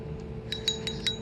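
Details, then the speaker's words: Penn Spinfisher VI Liveliner 2500 (VI2500LL) clicker with the drag tightened: faint, thin clicks about five or six a second fade in and out, far quieter than other reels, with a dead spot of silence; a specific internal part is suspected. "But again, it's really quiet compared to any other reel that I have. And then it gets into that dead spot where there's nothing."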